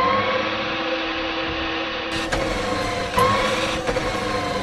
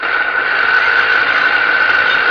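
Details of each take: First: Electric tricycle drive motor after repair (water-rusted outer bearing replaced, greased, seams sealed): steady, even hum with a clean mid-pitched whine, no grinding or knocking; checking whether the loud noise is fixed. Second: Electric tricycle motor removed from the differential and run free: steady, shrill whine with rough hiss; adding oil didn't help, water ingress had rusted and failed the outer cover bearing, replaced with greased new bearing and sealed.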